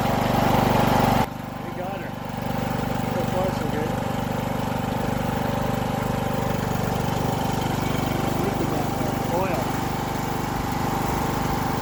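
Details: Mower after clearing hydrolocked cylinder flooded with gas: catches and settles into steady, even drone at constant speed, no knocks or misfires; running normally.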